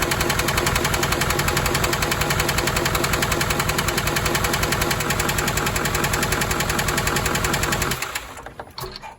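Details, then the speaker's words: Chevrolet Silverado diesel truck, first start after new parts, glow plug module not programmed: loud steady metallic knock about 3.5 beats a second until shutoff. Owner suspects a broken motor mount letting the engine hit a brace or frame; cause unconfirmed. "Well, it definitely started, but man, it sounded like it was knocking."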